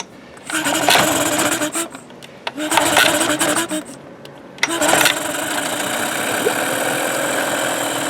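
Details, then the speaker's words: Mercury-built Tracker 9.9 HP outboard unused for a year, fuel line just replaced, on choke with starting fluid: several short cranking bursts, then it catches and runs a few seconds, longer than the starting fluid alone would fuel. Hard starting. "leave it all right not starting now oh it was the starter well it ran longer than the starting fluid I put in there would have fueled it I think"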